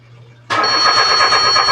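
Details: Mitsubishi Mirage that died while driving: starter cranks steadily with even churning rhythm but engine never catches; fuel pump failure confirmed.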